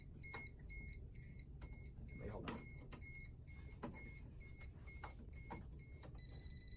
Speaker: Ah, there we go. You hear it beeping rapidly, which means that it detects a lot of current.